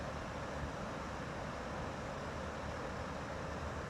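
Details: GE (Haier) air conditioner, after the fix: soft, even whoosh with no rattle, scrape or ticking, fan quiet and smooth, start-up noise gone.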